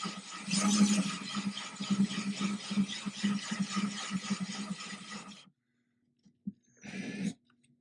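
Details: Ryobi drill with a diamond glass/tile core bit drilling the thin glass of a 10-gallon aquarium for a bulkhead, water-cooled, slow with light pressure: steady gritty grinding over light drill whine, even. Normal cutting, no cracking.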